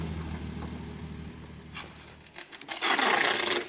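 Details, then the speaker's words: 1967 Jeep Gladiator with 6K original miles, dormant 30+ years, first run: low, steady, even idle after mixture screw adjustment; vacuum came up and the exhaust cleaned up, running smooth. "That's pretty good. We'll just give it a little bit more. Well, I think that's good. Hear how the exhaust kind of cleaned up?"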